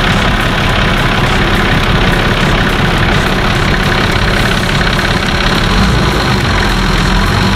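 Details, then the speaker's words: Nissan Patrol TD42 diesel idling after installing a new UFI fan and removing a tab that had rubbed the fan: an even whooshing fan hum, no rubbing or rattling, sounding like more airflow than the old fan. "can hear the fan hum sounds a lot better than the old one it sounds like it's actually moving a lot more air"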